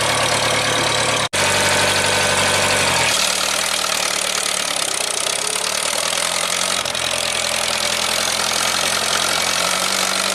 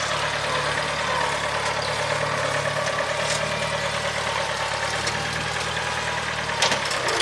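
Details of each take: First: 1975 International Harvester 574 four-cylinder warming up after main jet soldered and redrilled to size 62: steady, slightly uneven idle with soft chuffing exhaust and no misses; still a bit rich with a little black smoke, though better. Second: 1975 International Harvester 574 four-cylinder after carb main jet set to 0.055: low, even rumble holding steady with no misses, knocks or hunting and no black smoke; running smoothly.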